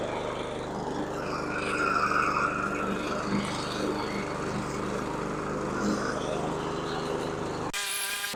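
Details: Husqvarna HU700F mower after swapping in a new GVC 160 carburetor: steady, even buzz under light cutting load, no surging or misses; an earlier surge owner suspects was lack of fuel, otherwise runs smoothly.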